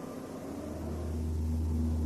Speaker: это может вызывать гудение или жужжание в общем какой-то гул а также вибрации передвижении автомобиля с большой скоростью